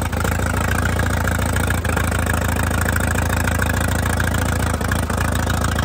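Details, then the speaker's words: 1952 Case DC3 tractor, revived after 15 years parked: open-pipe putter at slow fairly even beat, about three to four pops a second; idles steadily and sounds healthy. "there you have it it runs"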